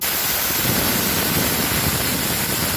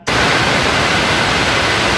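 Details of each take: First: Pneumatic roller-lever limit switch valve with its compressor supply connected reversed gives a loud, steady rush of escaping air that pauses briefly, then resumes. This is an air leak hiss caused by wrong port installation. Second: Pneumatic roller-lever limit switch valve with supply correctly on port 1 stays silent until the roller is pressed, then gives a sharp, clean hiss of exhaust air for about two seconds. This is normal actuation.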